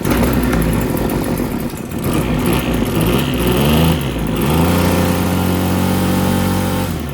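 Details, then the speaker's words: RedMax TRZ230S two-stroke string trimmer, first run after repair for hard starting, rough running and fuel leak: buzzes and surges unevenly, won't rev out; low revs and rough running, possibly trimmer line unbalanced, idle set too low. "So, obviously she runs. However, it's not revving up super high, and I just noticed this. So I think it's running a tad bit unbalanced."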